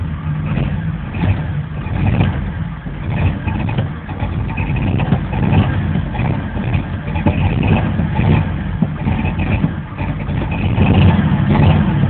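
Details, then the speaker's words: 1988 Chevy Cheyenne pickup, 4.3L V6, restarting after it stalled: long low rhythmic churning with slow surges and no clean catch, a hard start needing long cranking; lots of smoke afterward, smells of gas, owner suspects a fuel leak. "I let it die I have to crank it really get [Laughter] started a little FL"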